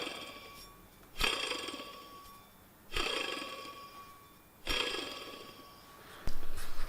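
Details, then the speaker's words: Old water pump removed from an EP3 Honda Civic Type R, spun by hand three times: each spin is a gritty whir with a faint ring that dies away over about a second; worn water pump bearing, replaced along with the idler pulley. "So that noise you were just hearing was the bearing in this pump. It was actually noisy."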